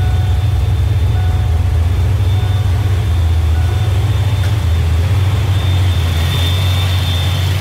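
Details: 347 turbo V8 being tuned, idling around 900–1,000 rpm, slightly high: a deep, even idle with a thin, steady high whistle on top from the idle air control valve. Stopping the whistle makes the idle bounce.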